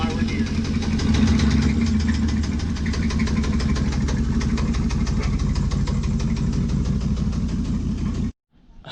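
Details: Chevy Blazer engine firing after being trailered back; lumpy uneven pulsing about three beats a second with ragged chuffing edge, running rough right after start, cause unclear.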